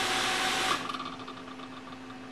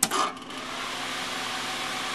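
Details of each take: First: Propcycle upper fan, upgraded from rubber-mounted nylon bushings to ball bearings in aluminum: smooth airy whir with a faint light tick a few times a second; owner thinks a blade spot is just touching and might sand it out. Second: Propcycle arcade fan after replacing rubber-mounted nylon bushings with ball bearings in aluminum: smooth, even airy rush with no rumble or whine. Owner notes some motor noise and a tiny click, possibly a spot just touching.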